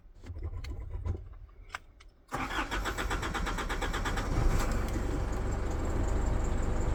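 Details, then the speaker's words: 2015 Isuzu D-Max 4JJ1 diesel, 314,000 on the clock, started after replacing a main fuel filter clogged by old bad fuel and hand-priming the system. A few quiet clicks, then it catches at once and settles into a steady, even idle with no air hunting; normal start. "And it's alive again."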